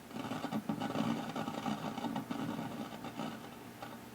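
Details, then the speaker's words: Zenith K421W AM-FM radio on FM with a stiff, scratchy volume control (possibly dried grease): irregular crackle and rustle, barely pulling in any station. Cause of the weak reception uncertain. "because I can barely turn it number one and it's awfully scratchy don't know that that's any other reason for the non-performance"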